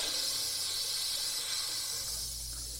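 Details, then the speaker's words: 1978 Boler 1700 trailer being dewinterized, after tightening the water heater anode rod: steady hiss of escaping air from the faucet, then sputtering as the pump works to refill. Trapped air purging from the water heater tank. "it sputters pretty good for a while while that tank gets the air out so and in fact right now there's nothing but air coming out"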